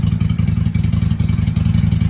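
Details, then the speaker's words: 1995 Honda Shadow 600 VLX VT600CD V-twin, running after fuel leak work with pinhole still to fix, in shop: loud deep even lumpy open-pipe pulsing with a quick rev at the end, firing cleanly; "sounds good for a little 600," normal revving. "All right. I'll tell you what, she sounds good for a little 600."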